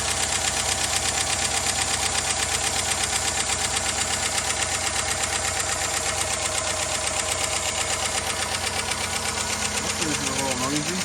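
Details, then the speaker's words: Chevy 5.3 V8 first start after timing chain, cam sprocket and oil pump replacement, not run in a while: fast busy lifter ticking clatter over idle that quiets as oil pressure builds. "Everything looks fine. Just as we were doing an outro, the lifter quit clattering, so."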